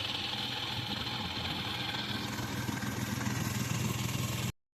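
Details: Hyundai petrol car with 342,000 km idles with a steady, even hum and no knocks or ticks.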